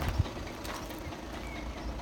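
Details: 2011 VW Passat B7 2.0 TDI (CFFB, 140 PS), automatic/DSG gearbox, 277,000 km: loose irregular clattering over low idle rumble from the gearbox end; dual-mass flywheel suspected, as common on Passats, not confirmed.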